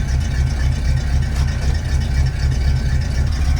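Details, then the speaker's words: Ford Galaxie V8 started after sitting seven months, on a swapped battery after the first was dead; it starts right up into a steady deep idle with an even lope, no knocks or misses, running smooth and healthy. "sick for seven months and it starts right up in finals"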